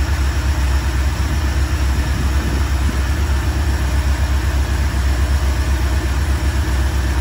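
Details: 5.7 engine with new Transdapt oil filter adapter warming up, temperature rising toward 180, oil pressure dipping slightly but holding; steady low idle with even pulse about four a second, no knocks or ticks; healthy idle, no oil leak.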